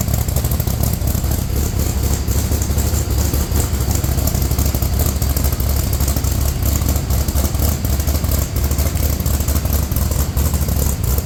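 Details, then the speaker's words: Rock Bouncer during complete nut-and-bolt restoration, running with newly finished exhaust with tips (Stingray exhaust); deep, steady rumble with even beat, throaty but moderate, not too loud, no knocks or rattles; engine runs healthy. "Oh, sounds good. Yeah. Hey, that sounds so good. Not too loud, but just loud enough."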